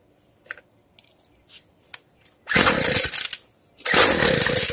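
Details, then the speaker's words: Free two-stroke weedeater after the carb reset (fuel screw closed, opened 1/8 turn), firing much better than at first; after light taps it revs cleanly in two strong bursts, before the idle is raised to fine-tune the low and high screws. "Right now it's firing a lot better than when I first started, so now I need to increase the idle screw so I can fine tune the low screw and the high scr"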